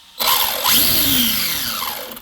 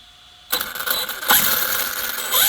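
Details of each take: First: Arrma Kraton 6S EXB RC monster truck, pinion deliberately pushed tight against spur: loud piercing screech swooping with motor speed; gear mesh too tight, fixed by loosening mesh 1-2 mm. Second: Arrma Kraton 6S EXB RC monster truck after loosening pinion/spur mesh by about 1–2 mm: motor whine sweeps with throttle, clean without harsh gear grind; noise much improved.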